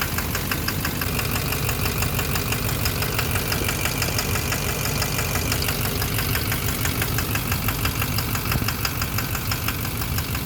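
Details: 2009 Chevrolet Duramax LMM dually diesel, in drive with e-brake on: loud idle with sharp steady knock about twice a second over the clatter; owner suspects number 3 injector, still knocked with one injector unplugged.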